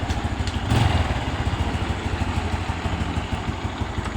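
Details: A long-unused single-cylinder motorcycle, revived and road-tested with no problems, idles with a steady, even low chug and no misses, knocks or rattles. It is running healthily.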